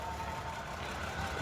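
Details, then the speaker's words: 2014 Toyota Camry at idle during pre-purchase inspection: faint whirring, rotating hum over the engine, not grinding; inspector suspects the water pump bearing is starting to go out, based on his own four-cylinder's failing pump. "Mine was a four-cylinder, but I know what that water pump sounds like when it starts going out. And that is that sound. It's kind of like a you know, like a It's not grinding, but you can just hear it rotating because the bearing is starting to go out"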